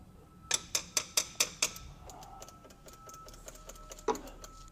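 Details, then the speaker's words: 1961 VW Beetle barn find: starter jumped directly by touching two leads, ignition not hooked up. Six sharp evenly spaced clicks, about four a second, then silence; the starter clicks without engaging or cranking. "we're just touching two things Yeah. together, and they should just... It should engage, and Engage. it's not."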